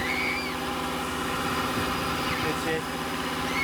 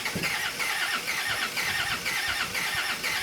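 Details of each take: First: 1999 Land Rover Discovery TD5 auto diesel, started on jumper leads after priming the fuel system: steady, even diesel idle with soft rhythmic chatter, children's voices in background, no misfire; normal diesel idle. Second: 1999 Land Rover Discovery TD5 auto diesel: starter cranks unevenly about two turns a second with no firing, right on the edge, needing more priming; battery and jump pack killed by endless cranking; crank no-start from air in fuel system.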